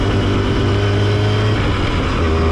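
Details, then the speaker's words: Twin-rotor Sachs-type rotary motorcycle, started on a roller starter after resealing: smooth, even droning hum at steady speed with a doubled buzzy pulse from the two rotors, likened to two carpenter bees; normal running. "sounds like two humps, two bees, two carpenter bees in my engine."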